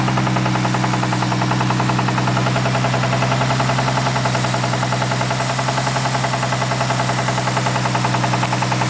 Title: spun bearing??